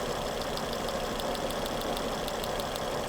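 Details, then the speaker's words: 2011 Volvo C70 with intermittent hesitation/misfire, no codes: coil spark test at idle, crisp even snaps without misses jumping about an inch gap, healthy coil, slightly less than new. "This coil has a really healthy spark. Look at that gap, that's about an inch. Just about an inch."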